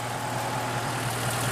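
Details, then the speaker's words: Wood gasifier-fuelled truck engine after fine-tuning gasifier airflow: steady even idle with low smooth hum and no misses or knocks; running cleanly on wood gas. "seems to be running all right took me quite a while to get my air flow right"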